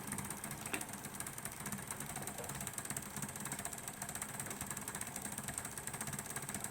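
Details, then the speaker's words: P2 Cock O North model locomotive, worm drive under the gear: fast whirring with uneven chattering ticks that never runs smoothly. The owner is unsure whether the motor or the worm gear meshing is at fault and plans to remove the motor and test it. "so you can see it's not it's it's not smooth operation and I don't know if that is just the motor not turning correctly or whether it's the actual meshing of the two gears"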